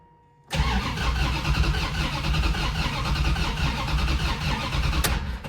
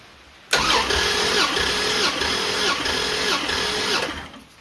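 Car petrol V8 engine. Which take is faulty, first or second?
first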